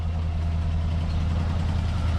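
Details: 1967 Buick GS340 after the water pump and points replacement and a cooling flush: a deep, smooth, even idle rumble with no ticks or stumbles. It is smoking less than before; normal idle.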